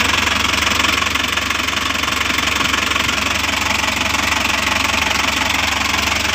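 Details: Toyota Dyna Rino truck with B12 diesel engine, first start after overhaul and reassembly: steady diesel clatter at fast idle, even rhythm with no odd knocks or misses; normal running.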